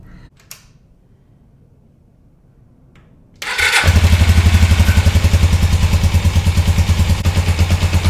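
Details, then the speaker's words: 1981 Suzuki GS450L idling after a half-turn clutch cable adjustment: engine fires into steady idle with repetitive metallic clank on every beat; clanking persists, owner suspects clutch cable adjustment. "Well, it's still clanking away."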